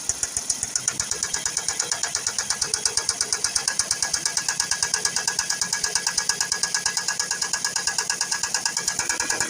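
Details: Ford C-Max 1.8 petrol at idle: sharp, even, bright metallic ticking about three times a second from the top end; belt tensioner and water pump ruled out, hydraulic lifter suspected, camshafts next to check. Ticking at idle.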